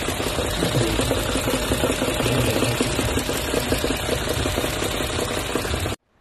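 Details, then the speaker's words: Toyota Crown petrol engine revved: fast hard metallic knocking, mostly cylinder knock. "刚才这种声音呢，大多数是敲缸的声音，有可能是那个大"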